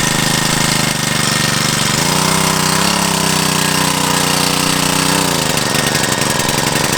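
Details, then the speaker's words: Generac CW10k small water pump engine: steady chugging with intermittent sags and recoveries near two and five seconds; ran well the day before, fuel good, cause of hiccups unknown. "i was running good yesterday but today little hiccups i don't know what's up with that we got good gas"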